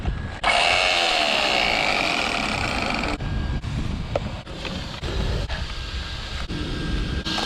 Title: When I landed the Arrma Typhon 6S badly - weird noise !